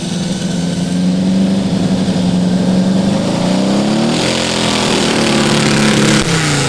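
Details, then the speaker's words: Custom V8 of eight Tillotson 212cc engines on a 900 lb go-kart: fairly even idle, then revs rise and dip with a rough stumble, still cutting up under throttle; more jetting planned. "So that idles a lot better, but it's still cutting up."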